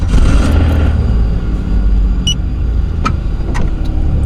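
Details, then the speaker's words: Pontiac Fiero GT being rebuilt, started after mechanic's work: engine catches and settles into an even low rumble with no misses or knocks; starts and runs normally, might need other work. "They got it to start. It sounds good. Might need some other stuff worked on."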